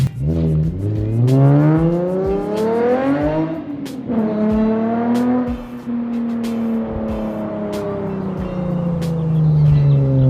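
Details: Nissan 350Z with a new ISR Performance exhaust replacing a raspy straight pipe, revved in an exhaust test; a deep, smooth note climbs and falls through several revs with no rasp or rattle; healthy exhaust.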